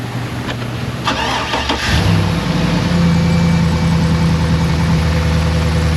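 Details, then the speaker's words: Cadillac Escalade cold start after refilling the cooling system, during a head gasket block test: cranks briefly, catches cleanly, even steady idle with no stumble or misfire, so head gasket not suspected bad. "I don't suspect it has a bad head gasket. It runs pretty good. Normally if the head gasket's bad, you put water in it, you start it up, it'll misfire."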